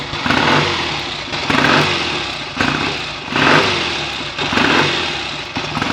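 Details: BSA A65 twin on its first run after a full rebuild, smoky from about 1.5 pints of oil poured into the crankcases. It fires up and revs in repeated blips, pulling cleanly and dropping back each time; ignition timing may need adjusting. Normal running after rebuild.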